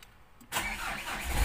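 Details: Diesel after replacing two busted glow plugs with used ones to fix hard morning starts: brief crank catches almost at once and settles into steady idle; starts promptly, back to one-click start.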